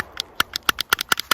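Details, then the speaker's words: Glock 48 MOS with Shield Arms S15 magazines and Shield Arms aftermarket magazine catch that does not stick out enough: sharp irregular clicks and pops as the catch binds, making magazine removal difficult. "It doesn't really stick out enough, so sometimes it's binding up and making it difficult to get a mag out, and you can kind of hear it popping."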